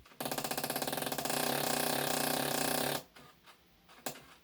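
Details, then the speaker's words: An iMac gives fast mechanical clicking that builds into a steady grinding chatter for about three seconds, then cuts out. It began after a disc got stuck and would not read; something may still be lodged inside. The owner believes it is not the fan and suspects the hard drive. "sounds like uh a bunch of little [ __ ] mice having a shootout in the back of my goddamn computer that's what it sounds like"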